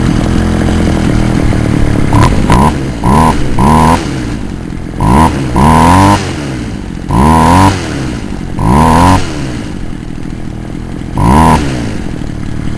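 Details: Poulan Wild Thing two-stroke chainsaw, warm, on half choke before high-screw carburetor adjustment; short uneven throttle bursts, revs sweeping up and dropping, won't hold a steady high speed; owner suspects compression ring or carb kit needed; rough running.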